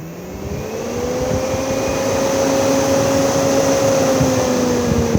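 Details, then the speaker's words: Swift Conqueror 480 caravan's Omnivent fan, variable speed, switched from extraction to the opposite direction: it pauses, then winds up into a smooth, steady whirr with a mild hum while drawing air in. Normal running in intake mode. "If I now press the opposite direction, the fan will now stop and spin and draw air in."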